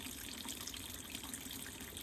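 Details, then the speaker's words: Black+Decker BPWM09W 0.9 cu ft portable washer on 16-minute rapid cycle: steady splash and gush of dirty water draining into a bucket, no grinding or rattle; drain pump working normally. "Okay, here's the drain cycle. You can see it draining into our bucket there."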